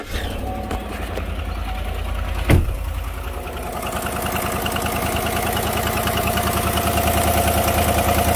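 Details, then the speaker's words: GM 5.3 Silverado after a cold start from sitting: quick, regular ticking over the idle that follows engine speed; exhaust manifold leak with carbon tracking and a broken rear manifold bolt, not lifters. "that sounds like it's the other side so and there you go that's an exhaust link that noise"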